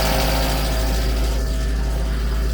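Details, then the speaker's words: VW Mk2 Polo bread van with swapped Mk3 Polo/Lupo twin-cam AFH engine, 1.4 or possibly 1.6, on a temporary fuel pump: fast light ticking over a fairly smooth run, bad valve-train ticking; cause not yet investigated. "and also I need to get a better pump um the ticking is bad I'm going to have to delve into this"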